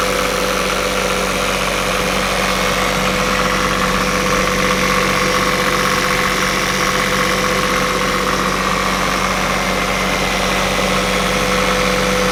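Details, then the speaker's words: Northern Lights 12kW diesel generator heard from the deck above after the new cylinder head was fitted: steady, even hum with no knocks or hunting. Quieter and smoother than before, possibly from new injectors or a formerly leaking valve seat. "you hear the generator running down below i think you're right jennifer it is a little quieter than it was before it sounds a lot smoother to me"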